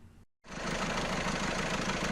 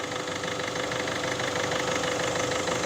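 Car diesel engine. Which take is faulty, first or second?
first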